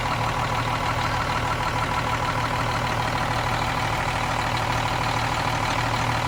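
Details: Cummins M11 diesel semi truck after fuel system priming and bleeding: steady even idle clatter, regular firing, no stumbles or hunting; runs clean, no more air bubbles.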